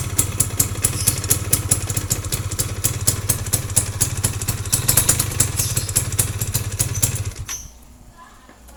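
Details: Yamaha F1ZR two-stroke idling before teardown: uneven rattling clatter about twice a second from the clutch housing until the engine cuts; owner suspects worn or loose clutch rubber dampers.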